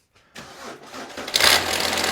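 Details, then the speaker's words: 2005 VW Touareg 2.5 TDI started and idling: diesel catches, then a loud, bright metallic clatter from the AC compressor drive coupling, whose teeth wear along with the compressor freewheel pulley; the pulley shows a lot of movement. "I think it's called a Gates coupling, and the teeth wear on it along with the actual compressor freewheel pulley."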